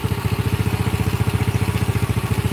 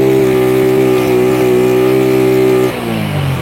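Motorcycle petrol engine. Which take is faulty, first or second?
second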